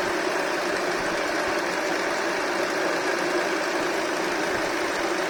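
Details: Honda Accord K24 at idle: steady fine, even metallic rattle over the engine with no rhythm change; source undetermined.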